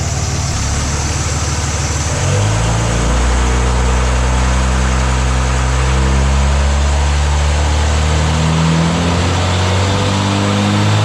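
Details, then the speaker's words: 2006 Dodge Ram 2500 Cummins diesel after replacing the intercooler/aftercooler (CSF 6072): in drive against the brake, throttle applied, the deep rumble swells evenly with no hiss or whoosh. No boost leak. "I was basically just holding my foot on the brake, putting the vehicle in drive, then giving her some throttle, trying to see if I could hear that boost leak again, but I heard nothing,"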